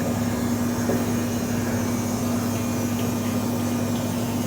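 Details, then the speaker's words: 1988 Mazda RX7 that sat 10+ years, fuel pump draining old fuel from the tank: steady electric hum with a faint whine, pump running and moving the nasty old fuel. "Yep. I can hear it pumping. It's pumping right off the bottom. It's pumping that nasty stuff."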